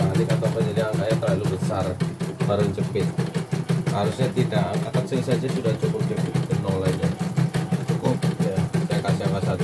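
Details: Portable embroidery machine from Sekayu, South Sumatra, was brought in for failure to embroider, blank screen, hoop not positioning and dead touchscreen. After mainboard, LCD and touchscreen rework, sped-up one-colour test: even rapid stitching about three strokes a second, no knocks or grinding. Runs normally.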